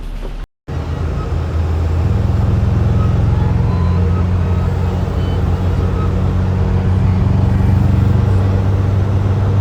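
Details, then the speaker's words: Subaru WRX on the highway: heavy droning rumble with an uneven lumpy pulse; scan the next day showed a cylinder 3 misfire; coil and plug were changed on the wrong side at first. "Scanned it the next day and got a misfire in cylinder 3."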